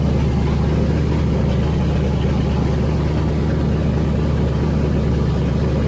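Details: Freshly rebuilt engine with forged pistons and rods, 10.3:1 compression, first start: loud, steady, deep note with no knocks or misses; normal running.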